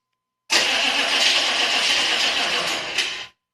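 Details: 6.5 diesel turbo truck cranks steadily for about three seconds, starter whirring, but the engine never catches or picks up speed; cranks but won't start.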